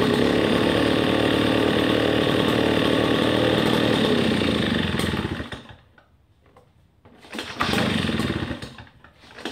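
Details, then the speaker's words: Redmax EB7001 two-stroke leaf blower after rebuilding a seized engine with a new piston and cleaned carburetor, cold start taking a few pulls, then a steady even buzz and a smooth idle. "well there you have it we have a good fully functioning blower motor and it was a cold start that's why I ended up taking about two more cranks but other than that sounds nice perfect it idles great"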